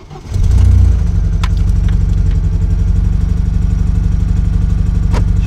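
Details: Car's first start after engine reassembly with new cylinder head, dial-indicator-set split cam gear and Niva camshaft, after three months off the road; idle pulses unevenly with loping low thuds about four a second, engine misfiring and running rough.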